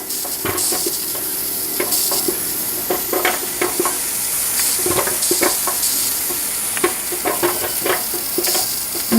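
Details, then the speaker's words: Presto pressure canner canning pulled pork, cooling down with the gauge falling to zero and the lid still locked: steady bubbling, sizzling and soft irregular pops from the jars themselves boiling inside; normal. "can hear the boiling surprisingly it's not the boiling of the water around the counters or around the jars the boiling of the jars themselves"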